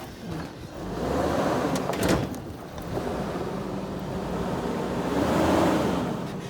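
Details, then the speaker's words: Hummer H3 inline five driving over bumps: creaky, rubbing squeaks and squeals like an old mattress that come and go with body movement; suspected worn rear leaf spring bushings. "squeals kind of sounds like an old mattress from a cheap hotel what do you think so if you hear these similar noises when you're driving your hummer it is most definitely your leaf spring bushings"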